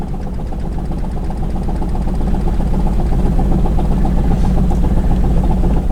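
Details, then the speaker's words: Toyota engine that won't idle properly and keeps dying: a rough idle with a deep steady knock at about four per second. The owner suspects rod knock and plans to remove the oil pan to inspect. "that i don't know if you guys can hear that on camera but it really does sound like a rod knock"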